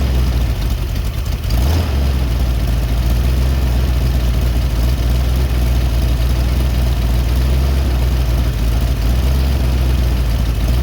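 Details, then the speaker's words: Rebuilt Ford 289 V8 after intake manifold leak repair, setting low idle: deep steady rumble that settles after a brief change as air-fuel mixture screws are backed out from a lean stalling stumble until smooth. "You want to do it with the engine level. If you choose to do so, you want to tighten it. And once the engine sounds like it is actually stalling, you're going to back off of it until the engine smooths out."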